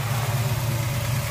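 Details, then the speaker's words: 1966 Chevy Chevelle SS 396 big block, 5-speed, after cooling, wiring, exhaust, brake and fuel line repairs and electronic Bluetooth distributor; deep, even idle burble with steady low thump, no knocks or misses; runs beautifully. "everything is where it's supposed to be the car runs beautiful"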